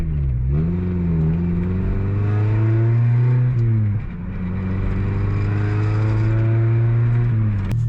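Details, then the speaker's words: 2000 Mazda Miata NB, first start after revival and clutch bleed, with good oil pressure and water temp slowly rising: smooth, even engine note climbing and settling cleanly with throttle, no knocks or misses; normal running. "Obviously, as you can hear, everything is working, everything is running."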